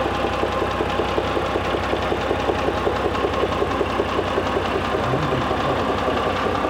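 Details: Mitsubishi Pajero III with the 6G74 3.5 L GDI engine at steady idle with a sharp, regular tap at about eighty per minute: internal engine knock.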